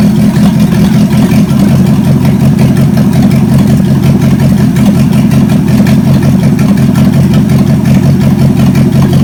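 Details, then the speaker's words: Chevy 283 V8 from Facebook Marketplace, second run on the shop floor: steady deep burble at even rhythm, no misses, knocks or ticks; compression later about 100–120 psi; normal idle. "Beauty it runs so good"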